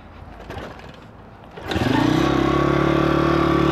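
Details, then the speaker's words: Stomp CRF70-style YX 160cc pit bike after valve clearance adjustment, inlet 0.04, exhaust 0.06: quiet cranking, clean firing, steady idle with no ticking; normal start and idle. "but I have started it and it does seem alright"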